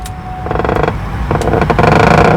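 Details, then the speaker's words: Ford F150 rear door: a long, drawn-out wavering creak with a squeaky pitch each time the door swings open, like a haunted-house sound effect; door hinges creaking. "这车开门还自带进鬼屋的音效，你们听。这种悬疑的音效，充分营造了一种车上老板神秘莫测的氛围感。"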